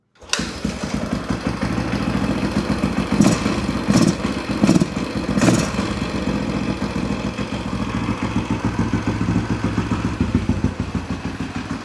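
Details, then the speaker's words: Husaberg 350 dirt bike, carb-to-airbox boot sealed, freshly started: uneven single-cylinder idle that stumbles, especially on throttle. "Stumbles a little bit. That sounds pretty good. Sounds very responsive. Initially, it was like stumbling right when you gave it that throttle."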